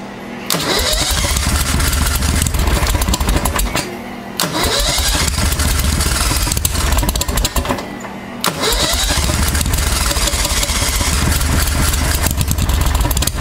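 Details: 1992 Club Car golf cart with V-twin Briggs engine, sitting about 6 months, just fitted with a CVTech replacement driven clutch: three long uneven labouring cranking spells without a clean catch; hard starting after storage, eventually runs.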